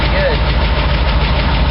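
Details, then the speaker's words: Ford 460 V8 with new lifters, suspected bad cam, misfiring: steady deep idle with light regular tick at engine speed; lifter tick, owner suspects the camshaft and is replacing it. "I did lifters and those are the new LIF lifters that are ticking"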